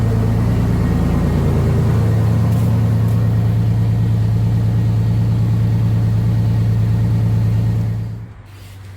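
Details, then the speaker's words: 1989 Pontiac Grand Prix Turbo McLaren at idle after new spark plugs (old plugs oily, original wires kept): steady even idle with smooth pulse, no stumble or hunting, then shuts off; prior hunting possibly from misfire. "just right away this thing idles a lot better I'm starting to wonder if the idol hunting that I was doing was because of a misfire I don't sense any misfires now"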